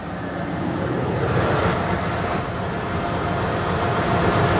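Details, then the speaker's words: Ford with factory equipment, possibly 130k miles on it, at cold start on a cold day: a steady, even, smooth idle with no ticking, knocking, squealing or smoke, and no water pump leak. "You can hear nice, smooth idle. All factory Ford equipment, nice, clean."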